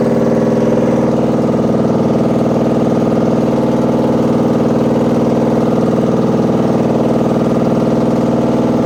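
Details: Washing machine running far too loud: a heavy, even rumble pulsing about twice a second over a steady low drone, like a load of bricks inside; cause unclear.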